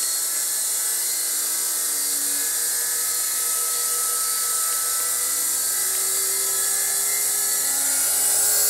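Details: Motor driven by a VFD inverter, turning stones: steady high inverter whine with faint drifting tones, no grinding or rattle; normal healthy running.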